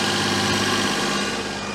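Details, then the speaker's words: Daihatsu Charade after an engine swap, air filter assembly not yet properly refitted: idles high and steady with a hollow, sucking hiss over the engine note; cause unknown, owner suspects the intake manifold gasket (no new gasket fitted), an intake vacuum leak. "sounds a bit sucky something in to me now it's definitely idling high okay something is wrong I need to find it no I have no idea what the problem is I have a horrible feeling it's going to be in that gasket because we don't have one"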